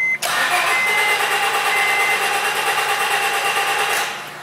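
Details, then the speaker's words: 2004 Honda Civic 1.7 with about 200,000 miles, stalled in a drive-thru and jump start failed: starter spins the engine evenly at about three turns a second but it never catches; crank, no start. "The car cranks okay. She did have somebody try to assist her to get it running and jump started, but to no avail. So we have a crank, no start, and we're gonna check it out and see what's going on."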